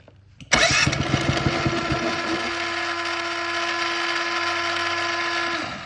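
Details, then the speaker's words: Ryobi 2300W electric-start generator, push-button start; starter churns in quick even pulses then steady motor whine without firing because little red control lever was pushed all the way over to wrong position; crank no start. "Look, this little red lever right there, that was pushed all the way over there. And now, what's gonna happen if I try to start it like that?"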